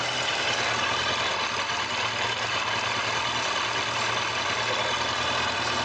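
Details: Kawasaki ZZR1100 D at 55,213 km with a new battery, running during a charging-system check that reached 14.82 V: steady, even hum with a smooth bright buzz and no knocks or misses; engine and charging system healthy.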